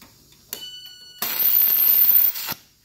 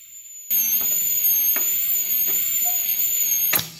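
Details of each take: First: DC stick welder converted to TIG with manual-valve torch, welding stainless without filler: harsh irregular crackle and spit for about a second instead of smooth hiss; argon not turned on, tungsten contaminated. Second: DC stick welder converted to TIG with manual argon valve torch, welding stainless at 75 amps: even, high-pitched hiss with a thin steady whine for about three seconds, then cuts out cleanly; a stable TIG arc.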